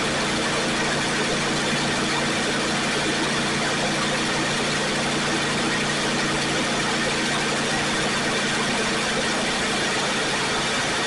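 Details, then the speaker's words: Pontiac Firebird V8 warming up after first start following 8 or 9 months sitting; fast cold idle with light even ticking from a noisy valve lifter, owner unsure if it causes a dead miss. "It's alive. Well, it's running out here and it's warming up. I just wanted to see how it was going to do."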